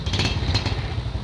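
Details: Yamaha small single (Jupiter/Vega/Mio class) that kept stalling because fuel was not reaching the carburetor, started after fuel reached the carb: low, even putter settling at idle. Normal idle once fuel flow restored.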